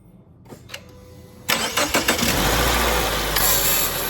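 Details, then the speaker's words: 2014 Subaru Forester after serpentine belt replacement: the starter whirs, the engine catches with a brief rattling chatter, then settles into a steady idle; the owner suspects the AC compressor bearing is starting to go. Noise at start-up. "That noise you heard at the initial start of it, I think the AC compressor bearing is starting to go a little bit."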